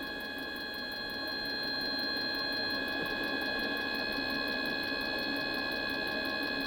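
Steady fast ticking about three per second over a whining fan tone that never fires up; heater cranks but won't light. Cause suspected, not confirmed.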